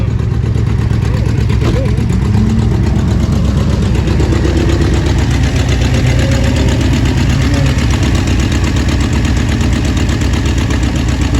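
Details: 1966 Ford Thunderbird 390 V8 idling shortly after first start with new carburetor: deep, steady, even lope with no stumble; best it has ever run.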